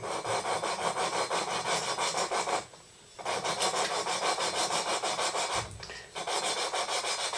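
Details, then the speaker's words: Royal Enfield Bullet 350 Classic cylinder head, lapping valves by hand with coarse compound: gritty rasping strokes about three a second with pauses, normal lapping sound that fades as the paste wears away. "lovely grinding noise and you'll hear when the grinding paste is worn away like that"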